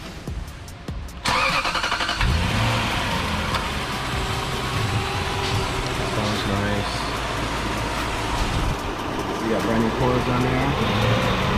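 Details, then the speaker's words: Lexus 3UZ V8 swap, after cleaning and fitting new coils and spark plugs to cure start-up misfires: starter whirs, engine catches and settles into a steady, even run with clean revs, no misfiring; normal start and rev. "yep another one in the book sounds good it sounds good no misfiring nothing good to go"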